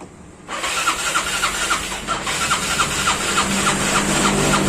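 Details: Yamaha Mio Sporty scooter that often stalls and now won't start, cranked after an oil change: starter spins with steady compression beats about three or four a second but never catches; no-start traced to poor ground connection.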